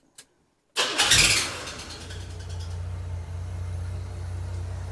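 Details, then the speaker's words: 1982 Chevy S-10 with freshly rebuilt 2.8 engine, timing set by ear: sharp high shriek for about half a second at startup, then smooth even idle; suspected power steering belt, pump pulley appears wobbly, pump may need replacing or rebuilding. "So it sounds really smooth, but I think the shrieking sound you hear at startup actually could be the power steering belt, because you see, it doesn't seem to be spinning quite center."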